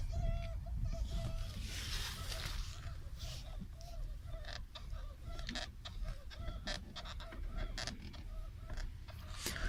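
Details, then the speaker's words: Nissan Qashqai steering shaft squeak: short, high rubbery squeaks repeat as the wheel turns, from the dry shaft rubbing its rubber boot. "ну вот сейчас попробую снять не знаю как камера воспроизведет скрип руля"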